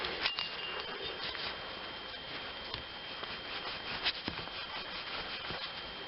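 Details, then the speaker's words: 2004 Chevrolet Impala, driver-side wheel bearing, hub spun by hand: dry, raspy scratching with occasional uneven flutter like a duck quacking; dry, worn wheel bearing. "right there all right it only did it a couple times but you can hear kind of like a little dry like a dry flutter in there almost like a like a duck quacking"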